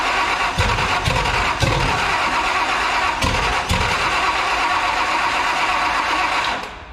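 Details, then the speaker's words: 1973 Toyota Land Cruiser FJ40 with Chevy 305 V8, first start after sitting for years, with timing set, fuel primed, fresh oil and a borrowed battery: five slow cranking bursts, then it fires and holds a steady, strong idle. "that sounded pretty damn good there though"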